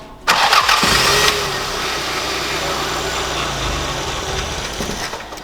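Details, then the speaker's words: Toyota Celica GT-Four first started after 18 years, fuel pump reconnected; brief crank then runs for a couple of seconds with a fairly even, slightly uneven beat; engine runs, fuel leak from rotten pipes found afterward. "she runs for two sec that's all she needs to do i'm just getting rid of all this crappy fuel"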